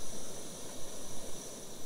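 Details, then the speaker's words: MSR WhisperLite liquid-fuel camp stove: smooth, even airy hiss with no sputter or surging; normal burner operation. "The Whisperlite. You can hear it whispering. I don't know if that's why they call it a Whisperlite, but you can definitely"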